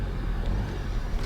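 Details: 2012 Nissan Juke turbo with a rebuilt CVT that developed an axle-type noise after 500–600 miles, on a slow left turn in a parking lot with light throttle: low, even drivetrain rumble and no grinding, quiet for now.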